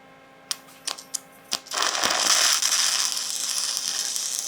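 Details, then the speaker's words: 6010 root pass on 6-inch schedule 80 pipe: sharp taps as the rod strikes, then a steady crackling, growling arc inside the pipe, indicating good penetration through both bevel walls. "You hear that growling sound that you're hearing inside the pipe? That means you're penetrating through the bevel."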